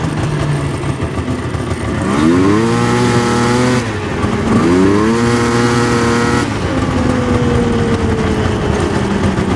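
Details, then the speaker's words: 1999 Yamaha Vmax 700 two-stroke triple revving in short bursts that flatten and bog at the low end; once cleaned out it seemed to run on three cylinders but not 100%; center cylinder to be rechecked. "so you can hear right there definitely on the low end fogging out now when it finally did kind of clean itself out it sounded like it was running on three cylinders but still not running 100% for sure"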